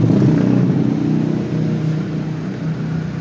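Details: Kia Visto / Hyundai Atoz after water pump replacement and timing belt refit with timing marks aligned, cover off, first start: steady, even low idle with smooth firing rhythm, no knocks or slapping; normal idle.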